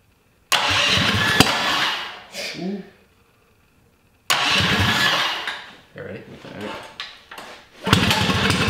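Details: Mini ATV's electric-start Tillotson 212, first start after a mild build: Hot265 cam, billet rod, 22mm Mikuni carb, side-exit header with RLV muffler. Catches quickly and revs crisply, dies off, then restarts and runs cleanly; healthy fresh build.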